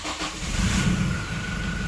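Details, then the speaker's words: Indonesian diesel (Innova, Pajero or Fortuner type) being checked for blow-by: a short crank, it catches almost at once and settles into an even idle; quick easy start, a normal sign. "nah saat kita hidupkan ya saat kita hidupkan pasti kan untuk starterannya itu mudah atau gampang jadi nafasnya saat kita starter creng gituereng seperti itu ya"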